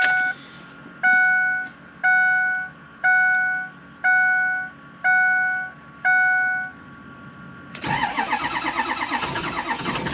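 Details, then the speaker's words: Ford 6.0 Power Stroke diesel, 200,000 miles, cold start at about 55°F without block heater plugged in: several seconds of slow cranking under a once-a-second chime before it catches and rattles to life; hard cold start. "This is what a 200,000-mile Power Stroke sounds like when you try to start it without plugging it in."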